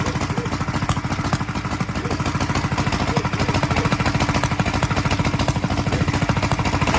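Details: 1943 Gravely Model L single-cylinder on its first start after a magneto swap to a rebuilt Wico, running a borrowed carburetor set for a 1955 L: uneven chugging at about 200 beats a minute with irregular pops through the carburetor and exhaust; owner expects lapping the valves and checking the valve lash to help.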